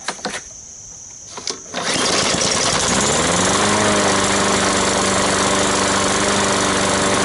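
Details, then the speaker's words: Sears pull-start lawn mower bought used, after draining water from the fuel tank and reassembling the carburetor: a few pulls, then catches and climbs to a steady even drone; running healthy. "and let's see what it does one two three four it's making a little more sound which is a good sign"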